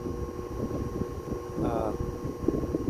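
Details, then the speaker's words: 1936 Westinghouse PowerAire 10-inch 10-SQ-3 single-speed oscillating desk fan, pre-restoration, drawing about 0.84 A, 62 W: steady prominent electrical buzz under airflow; motor windings need revarnishing. "It is noisy. It does buzz."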